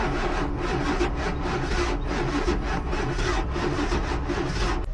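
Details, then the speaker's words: Pontiac Fiero Ferrari kit car, Chevy 350 with Holley Sniper EFI, dead cylinders, sat in rain and snow: even starter churn, no catching. Cranks but won't start; suspected no compression or timing off, later broken pushrods/rocker arms found. "Definitely sounds like no compression or the timing's off or both."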